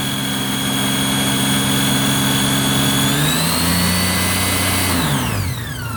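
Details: 2008 Honda GL1800 Gold Wing: clear high-pitched whine over the engine, rising with revs and falling as the throttle closes; owner suspects the alternator, unsure whether it is bad or livable.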